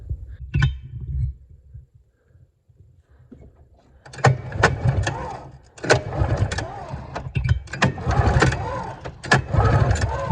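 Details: Arctic Cat Jag 3000 snowmobile after a new ignition coil, plug wires, resistor caps and spark plugs, with the throttle stuck halfway open: bursts of cranking with ragged pops and brief catches that die out; spark is present but it won't keep running.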